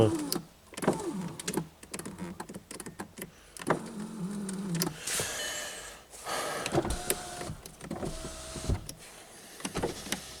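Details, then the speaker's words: VW Golf 5 door power window: motor whirs in short bursts with clicks and stalls but glass never rises; window regulator cable suspected, door to be dismantled to inspect regulator mechanism. "так тросикухана короче цю дверку треба розбирати і дивитися до механізму сплопідйомника"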